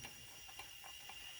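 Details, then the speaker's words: Junkyard Mercedes engine leak-down test, piston at top dead center, 100 PSI in and 80 PSI held: a steady hiss of air escaping on the exhaust side. About 20% leakage, the exhaust valve not sealing. "That's about 20% leakage. 100 PSI in, 80 PSI out."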